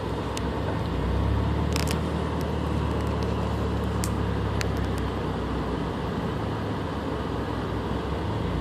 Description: Stock engine, having trouble holding idle and misfiring every time the RPM drops, but no check engine light?